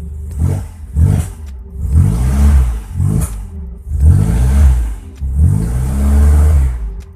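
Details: Toyota Corolla DX with points ignition converted to a motorcycle CDI: engine catches and takes several quick throttle blips, rising and falling cleanly without misses or stumbles; runs fine.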